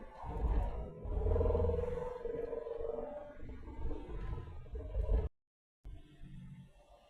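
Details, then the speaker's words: Holden with Hemi and T5 gearbox under light throttle: steady droning hum with mid-pitched whine that rises and falls; no noise in neutral, seems close to the driver rather than the rear; owner suspects a uni joint, source unconfirmed. "Definitely sounds like it's coming from right next to me, not from down the back."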